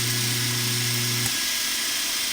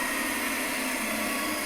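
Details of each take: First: 1940 Delta model T5074 repulsion induction motor after cleaning the commutator and repair, bench test: steady hum drops away as it kicks up to speed into a smooth, even high whir with slight brush noise, no scraping or knocking. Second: 1940 Delta T5074 repulsion-induction motor, bench test before dismantling, brushes set for reverse: harsh hissing rush over a weak hum, rough and unsettled until cut off; commutator to be cleaned.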